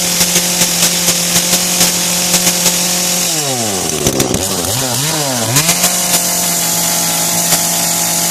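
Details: Kretec UDT two-stroke chainsaw on 25:1 petrol-oil mix, just started: steady high buzzing idle swings up and down as throttle is blipped, then settles evenly; healthy running.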